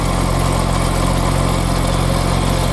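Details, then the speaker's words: 1965 Jaguar E-Type with a new 9.5-inch Borg and Beck clutch, engine idling: a rough gritty grind when the clutch pedal is pushed in, with sparks at the bellhousing. The cause was a coating on the throw-out bearing, which was gouged and degrading. "I pushed the clutch in, and I heard this terrible grinding noise."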